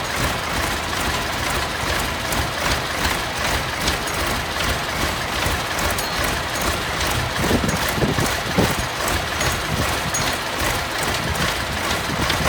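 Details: Massey Ferguson 1155 tractor, parked for years over a hydraulic issue, after fuel was drawn through to the filters: a heavy, rough, steady diesel rumble with no stumbles for about twelve seconds; running normally.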